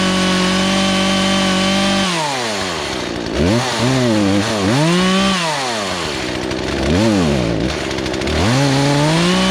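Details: Poulan Pro two-stroke chainsaw that sat three years, high-speed carb screw turned counter-clockwise as owner suspects fuel starvation: revs rise and fall with throttle, sometimes sagging and stumbling before climbing; bogging on acceleration, probably lean.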